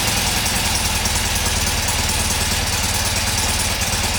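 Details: Freshly restored 1977 BMW R75/7 twin at its first start after restoration, on choke with fresh fuel and the ignition timing just set: an even, steady pulsing idle with crisp mechanical chatter, no misses or knocks. Normal idle.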